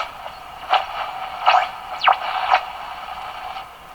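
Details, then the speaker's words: Westinghouse 535 radio with a spurious oscillation that persists after removing added phonograph wiring. Whistles sweep in pitch over hiss as the dial moves. The heterodyne squeal is suspected to come from the set oscillating. "And hear the heterodyne. The same effects, but different."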